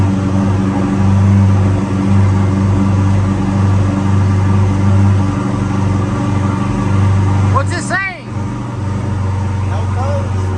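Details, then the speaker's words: Corvette C8 idling after a transmission replacement: deep, even idle hum with a steady low rumble and no knocks or clunks; transmission fine, no dash warning lights. "hey it looks good so we went ahead and let the Corvette warm up and everything is good with the transmission there's no lights on the dash"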